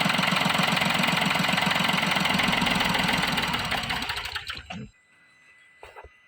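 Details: Diesel with an intermittent start and stall problem (codes P0087, P0251): steady clatter that fades and dies after four seconds while the reading drops from about 412 to 385; the root cause is a clogged fuel filter.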